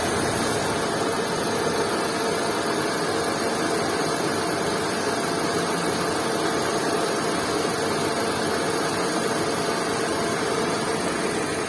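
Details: Car engine with oil sludge built up inside, idling: steady hum with a busy, rattly mechanical clatter; sludge has altered the engine sound.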